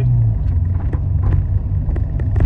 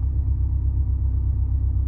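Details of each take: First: Hydrogen-converted petrol car on the stock ECU under driving load: no low-end torque, poor power, timing not retarded for hydrogen as the ECU assumes petrol. Deep labouring rumble with sharp irregular pops, backfires out the air intake. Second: 8° timing Advance 900 RPM which is not far off that at all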